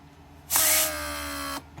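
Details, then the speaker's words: Rebuilt Mercedes W140 500SEL door lock pump on bench: pressure released, pump restarts with steady high whine about a second; repeated restarts like this indicate a leak (e.g. lumbar support) and would overheat and burn out the motor. "you see I release pressure and pump reactivate when it does this many many times when it does this many many times when because there is a leak and the lumbar support then it will burn itself"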